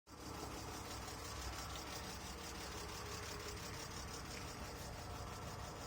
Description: Can anyone help as to why my car sounds like a tractor? Been standing for a year e46 320 2002.